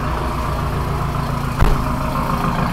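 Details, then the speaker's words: HDI diesel (200 hp build), first start after reassembly: steady idle with deep even rumble and only light clatter, the earlier rapid ticking gone. "le bruit! Oh, le bruit! Et ça claque plus! Enfin, ça claque comme un moteur qui n'a pas eu d'huile pendant longtemps, mais... Quel régal! On n'a plus le ta-ta-ta-ta-ta-ta-ta!"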